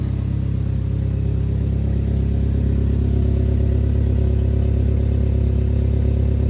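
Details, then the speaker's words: Toyota truck after a wrapped patch on a hole atop the exhaust near the cat: steady deep idle with rhythmic puffing chuff on each firing pulse; exhaust leak still present. "it doesn't even look like steep anyhow I already hear an exhaust leak"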